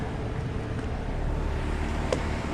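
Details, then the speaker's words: 2020 Bryant Preferred outdoor AC unit on a 103°F day: a steady, low condenser fan rumble with no compressor hum and a hot suction line; owner suspects a bad capacitor, which a tech later replaced. "okay it is Monday July 31st 2023 and I just woke up to this my downstairs Brian preferred is running without the compressor"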